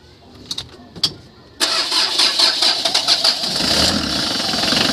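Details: Mitsubishi L300 van with 4D56 diesel, checked for hard starting and its magnetic shut-off valve: a couple of clicks, then it catches at once and settles into a steady, clattery idle; starts cleanly.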